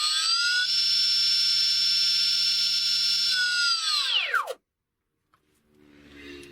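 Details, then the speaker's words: HobbyKing Bixler RC plane electric motor bench test without prop after cleaning, rewired to ESC: steady high-pitched whine from ESC switching, winding down smoothly, earlier rough noise gone; normal motor run. "boo sounds better yeah if you clean them you can actually hear that one going round now wrong the high-pitched noise is the switch you know the of the ESC but it hasn't got that other horrible noise no which is good"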